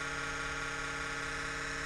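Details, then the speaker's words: Kodiak camper exhaust fan at 37°F: loud steady whir with a hard buzzing edge and no speed change. It makes this racket for about a minute on cold starts at roughly 60°F or below, then runs normally. "it's the fan [Music] the exhaust fan beans ex it's gonna make this loud racket for about one full minute it's because it's cold 37 degrees"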